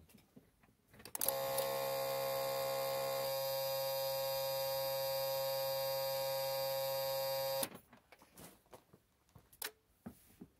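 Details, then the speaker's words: Isuzu Trooper/Holden Jackaroo 4JX1 engine, UBS73 chassis, after fitting new aftermarket alternator: key-on loud steady low buzz from blue relay driven by about 135 Hz PWM ground signal; fixed by adding electrolytic capacitor; this is without capacitor. "is relay works through is like a pulse with modulation ground and it runs at about 135 hertz and it creates noise because it's turning off and on very fast and it makes this relay chatter or turns the relay into a speaker and that's the noise you can hear"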